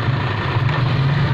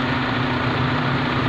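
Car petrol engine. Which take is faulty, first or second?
first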